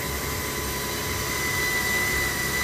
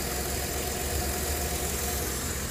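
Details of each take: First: 2008 Jeep Grand Cherokee 4.7 L 4x4 that came in with a dead battery and smoke from the fuse box: a steady high-pitched whine over the running engine; the current probe shows the alternator has bad diodes and is only putting out 30 amps. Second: 2008 Jeep Grand Cherokee 4.7 L 4x4 that had a dead battery and smoke from the fuse box: a steady, even idle hum with no whine; battery at 13.32 V, alternator putting out 44 amps and reaching 142 amps on the load test.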